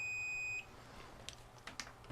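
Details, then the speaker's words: Old time-delay circuit board, 3.15 A fuse reinstalled in its holder: multimeter gives a steady high-pitched half-second beep, good continuity across fuse and holder. "I can't show you the meter, but maybe you can hear the beep. And we definitely do have good continuity."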